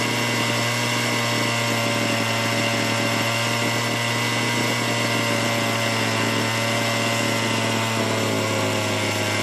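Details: Small chainsaw, long-dead non-starter revived after carburetor work (bracket holder needs replacing): high steady two-stroke buzz holding even pitch, no surging or stumbling; runs cleanly.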